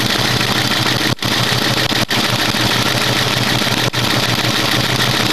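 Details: Mustang V8 idling steadily with a fast, light ticking over the low rumble, heard after a PI swap; the cause is unknown.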